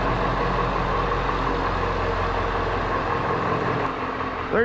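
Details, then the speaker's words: 1996 Ford 7.3 Powerstroke diesel, started in a 55°F shop right after replacing a bad glow plug: an even, low steady rumble and clatter with no misfire or stumble. Starts and idles normally, so the repair worked. "you go, guys. It's started. It's running. It is fixed."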